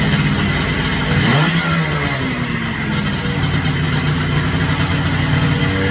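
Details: Ultralight aircraft two-stroke engine at full throttle on takeoff sags to a low, idle-like putter without stalling as the failed fuel pump starves the carburetor, forcing a landing in a cornfield.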